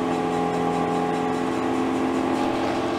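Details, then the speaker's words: BMW M3 Competition on a lift, heard from under the car in third gear after refitting normal-size wheel bolts: smooth, steady rear-wheel whirring with the ticking gone, only slight handbrake drag. "and as you can hear no more ticking sound well that's kind of good news that's very good news actually"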